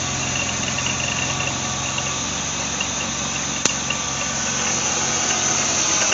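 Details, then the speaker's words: BMW Z3 2.8-litre at idle: fast light rattle with a thin high squeak from worn idler and tensioner pulley bearings, noisier under load; water pump was replaced earlier without curing it. "Can you hear that rattling noise?"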